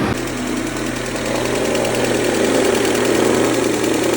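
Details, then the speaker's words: Mercedes-Benz W168 A140, 2003, 196,000 km, idle: steady idle with a fast knock of about four per second from the engine front; owner suspects timing chain or chain tensioner, cause unconfirmed. "um zu gucken wie das mit der Kette aussieht, weil das interessiert mich jetzt, ob das die Geräusch vielleicht von der Kette kommt."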